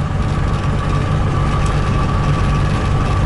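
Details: Trabant 601 with a €30 flea-market two-stroke engine, which seized on the road and was freed again to limp home at about 70 km/h: rough running with a dense, uneven low rumble and a steady ring above it; real crankshaft bearing damage.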